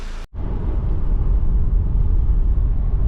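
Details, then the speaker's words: 2002 Audi A4 Quattro 1.8T, driving after cam chain tensioner/slide and valve cover gasket replacement, with a cylinder 1 misfire code cleared: a smooth, low, even rumble with no ticking, rattling or whine. The engine is running fine and boost reaches about 5 psi. "It's driving just fine. Seems like everything's working."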